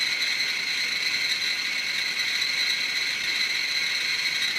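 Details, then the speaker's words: Chinese BR-6B Geiger counter placed directly on a strontium-90 check source: dense, continuous high-pitched crackle with no gaps; pinned at its 99.99 µSv/h full-scale maximum. "there we go the meter has reached its capacity so if you can see that it says 99.99 microsieverts an hour"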